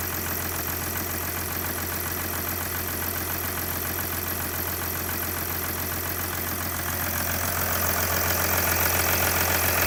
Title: OM642 R320 CDI 3.0 V6 diesel cold engine ticking knocking noise